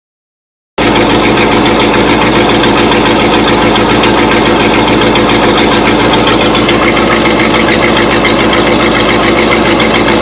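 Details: Engine after a few minutes running, exhaust appearing at the rear of each manifold: steady idle with a fast even tick about three or four per second; owner suspects a manifold exhaust leak.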